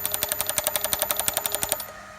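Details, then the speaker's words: Magneto on finished test bench driven at about 340 RPM (set for 350), 5mm spark gaps with teaser electrode: crisp, evenly spaced snaps about eleven a second, none missing; firing all gaps normally. "340, yep, pretty close. And I'm firing all the gaps nicely, so"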